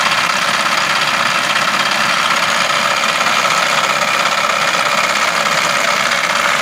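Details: Idling with the air conditioning on: a busy, uneven clatter sits steadily over the engine hum, a noise that appears when the aircon is turned on, source not pinned down.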